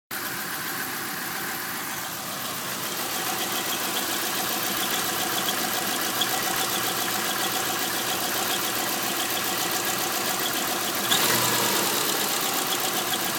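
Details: 2001 Subaru Outback EJ251: constant high squeal at idle from the transmission flange area, present coasting and with clutch pressed, gone on throttle; not belts, accessories, tensioners or release bearing; owner suspects crankshaft bearing.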